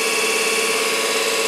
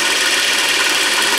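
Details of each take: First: 24 V DC motor (prime mover for a 1943 Genemotor) before service, benchmarked at about 12.14 V and 3.96 A: a steady high whine of constant pitch. High drag from very stiff sealed bearings and/or brush tension (owner unsure which); to be stripped, bearings freed and oiled, brush tension reduced. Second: 24 V DC motor (prime mover for a 1943 Genemotor) reassembled after a tune-up and service. Bearings oiled with very thin oil. Smooth, even high whir with steady brush hiss and no knocks or grinding; runs fairly quiet, freely and healthy.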